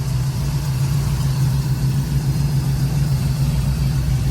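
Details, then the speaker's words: Chevy 350 V8 after lifter adjustment (binders not yet tightened, some smoke): deep steady idle, even low rumble with no ticking heard; normal idle. "But bro, you don't really hear the ticking like that."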